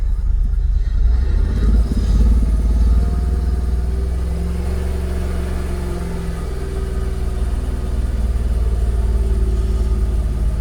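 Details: Jaguar XKR with persistent Restricted Performance faults, idling: deep, uneven idle that wavers and stumbles with no steady beat as the engine struggles to hold idle; cause still undetermined.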